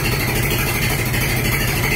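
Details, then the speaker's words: 1947 Farmall H tractor, cold start at zero degrees after sitting since fall, throttle pushed up: even steady low rumble, no knocks or misses; idles smoothly, sounds good. "sounds good come on girl I pushed it up already"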